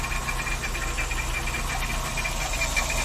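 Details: VW Saveiro G4 with AP 1.6 engine, valve cover removed, at idle: low, uneven knocking under the hum, about three per second; owner suspects a pulley or timing belt, cause not confirmed.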